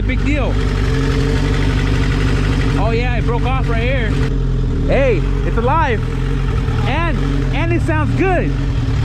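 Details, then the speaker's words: Turbo Honda Civic EG hatchback just after its first start following fabrication, idle air control valve unplugged, code 21 VTEC stored: steady low idle hum with no knocks or misses. Runs cleanly, dyno planned. "that's what i'm talking about sounds like we're going to schedule that dino soon"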